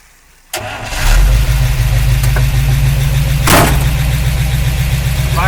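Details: 1953 Oldsmobile Rocket Super 88 barn find after fitting a new Edelbrock carburetor (earlier suspected transmission problem was a carb issue): engine catches quickly after a brief crank and settles into a steady, even low idle; starts and runs cleanly.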